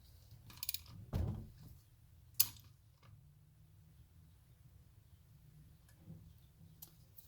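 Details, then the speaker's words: BMW R1150GS engine freshly rebuilt after case split, turned slowly by hand near top dead center: a few faint, isolated clicks, reduced after fitting the chain tensioners; owner unsure if normal. "okay there's one very small click there let's go back and see if we can hear that again"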